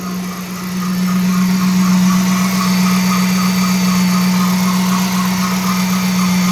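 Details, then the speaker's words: Dodge Charger R/T 5.7 Hemi after replacing shredded serpentine belt and bad tensioner pulley: steady idle hum with a constant tone and faint regular chirp; belt sounds funny, owner suspects new belt put on too tight. "under the belt sound kind of funny"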